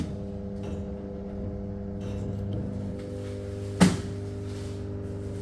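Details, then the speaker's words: LG top-loading washing machine on spin cycle: the drum won't spin while the pulsator turns, with a constant loud buzzing hum and one clunk from the failing drain motor; replacing the drain motor fixed it. "this is actually coming from the drain [Music] motor now we know the problem I have to replace the drain motor after that our problem will get solved"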